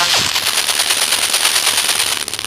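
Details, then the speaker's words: Redmi Go phone ringtone as volume is stepped up and down: harsh, rattling crackle at every volume step; this distortion mostly comes from a faulty audio power IC. "देखो, ज़्यादातर जो problem आती है guys इस तरीके की झड़झड़ाहट सी जो आवाज़ आती है, ज़्यादातर जो प्रॉब्लम आती है वो आती है गाइस आपके पावर आई से।"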